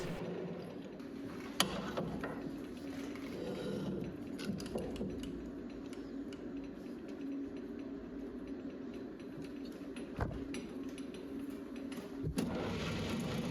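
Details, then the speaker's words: Small, non-rigid lathe turning tough EN19 steel auger shaft of large diameter: low buzzing hum with irregular rattling ticks as the tool cuts; tool chatter from lack of rigidity. "So, you will hear a lot of chatter. I often just live with it because I end up chasing my tail trying to get rid of it."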